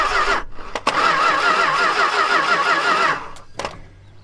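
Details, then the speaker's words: Long-neglected Dodge stepside big-block truck with new plug wires and the ignition switch stuck on: the starter spins the engine evenly for a couple of seconds with no firing, then stops; cranks but won't start, and no spark is suspected. "No, I don't think we're sparking. Couldn't possibly be any issues with the wiring, right?"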